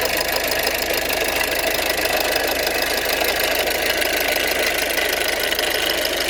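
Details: Ford 1.6 TDCi diesel at idle: a busy, metallic rattle runs steadily over the usual diesel clatter.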